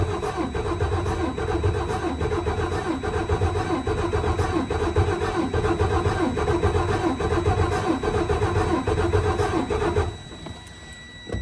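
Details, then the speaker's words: 2012–2013 Freightliner Cascadia DD13 cranking during a cold-morning compression test. Slow, heavy, uneven cranking that is worse than the warm test, with very low compression. Complaints: low boost, code SPN 2631 FMI 1, misfire, ticking. Hoped that a valve adjustment fixes the tight valves. "Ooh, man, that is definitely worse than Friday. Okay, I'm hoping a valve adjustment is going to resolve this issue."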